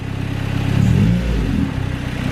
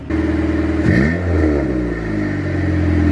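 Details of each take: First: B18C1 turbo Honda CR-V with custom exhaust, warming up, Y-pipe not hooked up. Deep, raspy, open exhaust rumble swells with revs then settles; engine noise louder than the muffler. Loud exhaust from the disconnected Y-pipe. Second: B18C1 turbo Honda CR-V with new custom exhaust, muffler dangling without hangers. Deep exhaust note swells cleanly through three quick blips, then settles to a steady, even idle; idle fairly loud but sounds good. Normal revving.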